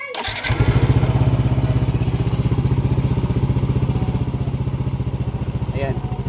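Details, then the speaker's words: Yamaha NMAX 155 V1 scooter after throttle body cleaning caused unstable idle, hard starting and error 37 (ISC): after ISC calibration and carbon brush replacement, starts and idles high then settles down evenly, normal idle. "mataas siya tapos bababa. So yan yung pinakaormal na idle ng motor."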